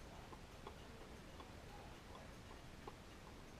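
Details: Antique Grandmother wall clock, 20 years on a wall without chiming, dirty pivots and dry springs, before cleaning: faint, quiet ticks in a small room with uneven tick-tock spacing; movement running out of beat.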